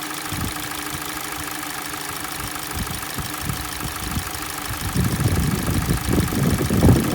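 Cold idle with an irregular dull knocking that grows louder toward the end, knock heard from the engine, source undetermined.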